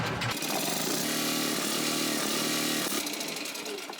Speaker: we're going to fire up this generator and then he's going to tell us what how to wire this up so that we're not blowing anything or tripping any Breakers so let's fire it up and he can test it